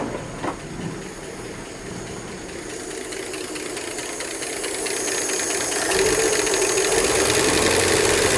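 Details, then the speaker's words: Ford 240 inline-six in vintage Southwestern Bell telephone truck, low-mile replacement engine, no driveshaft fitted, oil light goes off instantly: fast even ticking about four per second over idle, louder as it warms; lifters clattering, owner suspects stuck lifters, unconfirmed. "I don't know why those lifters Are CL clattering so much I mean I guess it's possible they could just be stuck"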